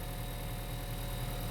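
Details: Honda Vezel hybrid after robotized gearbox clutch release bearing service: engine idles with a steady low even hum, no whirring or chirping from the clutch, valves not knocking; release bearing quiet and healthy.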